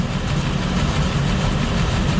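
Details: 2005 Ford Escape 3.0L V6 running very rough: deep, uneven, lumpy idle with stumbling beat; misfire from a rear-bank cylinder under the intake manifold, no misfire codes stored; unplugging coil 3 made no difference.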